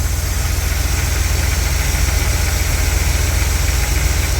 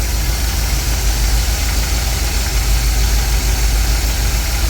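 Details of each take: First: Carbureted 1959 Cadillac Coupe DeVille V8 with a slight knock, after setting ignition timing to about 14 degrees: deep, even idle with steady low rumble, no misfire or pinging; timing sounds right. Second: 1959 Cadillac Coupe DeVille, carburetor needing rebuild, timing turned down from about 16 to 5 degrees; low lazy idle with slightly soggy uneven beat under constant hiss; ignition timing too retarded at idle, later set to about 14.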